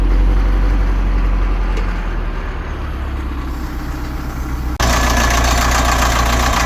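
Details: Cat 950 loader diesel, run after sitting about 15 years, water drained from fuel, old filter with water separator refitted, new 24V batteries. Low, steady idle with a sudden louder hiss near the end; engine runs evenly, normal diesel idle.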